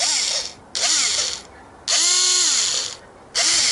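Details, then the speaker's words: Hyper Tough 4-volt lithium cordless power driver with five-position clutch, owned a while, recently started making a funny noise. Short bursts of high whirring with a buzzy ratcheting edge; owner suspects a problem, gear ratcheting noise, cause unconfirmed. "starting to make a funny noise I don't know if that's a problem or not but I suspect it is"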